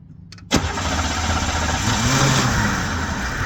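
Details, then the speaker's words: 1990 Oldsmobile 98 3800 V6 after sitting overnight, gauge showing zero fuel rail pressure: silence, then brief crank catching abruptly into a rough, uneven idle, then about 35 psi; hard start from failing fuel pressure regulator, later replaced. "what do you know we don't even have fuel pressure at the rail which tells me that's probably bad but we're gonna go ahead and I'm gonna try to start it up and I'm gonna watch this and see if it does anything crazy okay"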